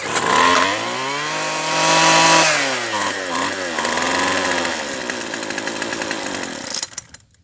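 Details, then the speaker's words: Craftsman Sim-Pull two-stroke string trimmer after carburetor replacement; screams cleanly at high revs then sags and dies within seconds; idle speed set too low, idle screw needs turning up. "Needs tuning, needs idling up a little bit. It won't stay running on its own, but it runs good top end."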